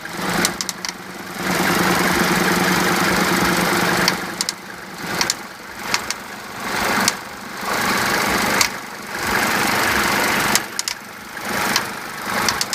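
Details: Mercedes W201 190D 2.5 diesel with ASD system idling: rapid, uneven knock rising and fading with revs, source unknown; noise disappears when revving or fully warm; hydraulic lifters and injectors checked fine, no smoke.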